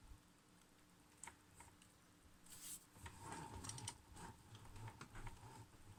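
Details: Logitech G920 racing wheel turned right, making irregular plastic clicks and knocks with a brief rough grinding burst, felt through the wheel and seemingly getting worse.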